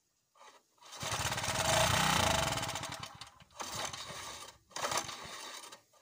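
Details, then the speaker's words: Cement mixer's small single-cylinder engine, first run after restoration start, outdoors, mixer barrel not driven: revs surging up and down unevenly; governor hunting because the engine runs with no load. "me so so you can hear that guys that she's running she's in here there the the governor doesn't know where to stay that is because she isn't under load"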